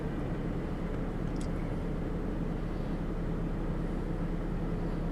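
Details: 2011 Ford Fusion Sport just after throttle body replacement for P2104 and P2112 codes, battery reconnected, idling with AC on; smooth, steady idle without surging or stumbling, running fine.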